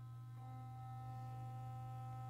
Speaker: gets louder and if you feel it you it's vibrating with more force